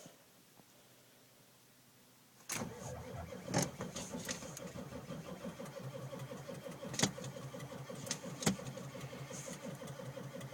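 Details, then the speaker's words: 1995 Ford F-350 dually, 7.3L Powerstroke with Banks Power Pac, rebuilt E4OD, cold morning, glow plugs cycled repeatedly, lights barely come on: slow, laboring crank without firing; weak supply suspected, not confirmed. "Run the glow plugs a second time, maybe a third. Sorry for the shaking, it's kind of cold. Lights barely come on."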